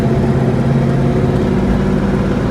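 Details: 1965 Ford Mustang coupe, cold, lugged in third gear at low revs: low drone with dull knock under load; input-RPM specific, vanishes with clutch in; suspected flywheel-to-transmission/clutch assembly vibration, not confirmed.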